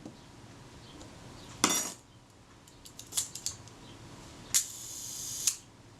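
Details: Agfa Agfaflex SLR shutter under service, tested across speeds from the fast 1/300 end down to B and 1 s: crisp single clicks on fast settings, then clean open and close about a second apart on slow speed; firing properly.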